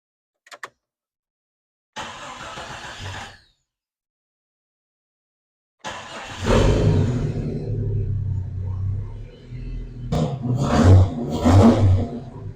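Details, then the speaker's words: Vehicle engine started after battery terminal connector replacement; cranks, catches, then revs unevenly with coughing and spitting stumbles; owner believes it is a separate issue from the wiring work. "Coughing and spitting there a little bit, but I believe that's a different issue."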